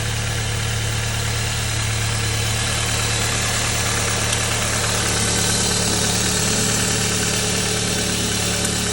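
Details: 2.0 TSI engine at steady idle with a bright, busy ticking clatter riding over the low hum at a constant rate; unidentified engine noise, source unclear.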